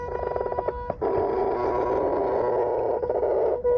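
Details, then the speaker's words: GT motor climbing a pump track slowly from a standstill at nearly full charge: a steady buzz as the motor strains. It can't take it. "so once more try to go up slowly and you heard that um htic buzz"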